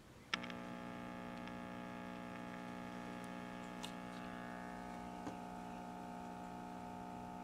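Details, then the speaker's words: 1950 Zenith portable tube radio (G503, chassis 5G41) powered up through a small light bulb with no tubes fitted: steady low mains hum throughout, from dried-out, failed filter electrolytic capacitors. "Why is it humming with no tubes in it? Well, we definitely have bad electrolytics. It's humming with no tubes in it."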